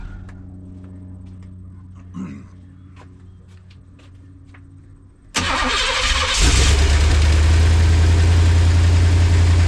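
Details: LT1 V8-swapped Jeep YJ after no-spark, no-charge repair, freshly fueled: quiet ticking, click, then cranks, catches and settles into strong steady even V8 idle.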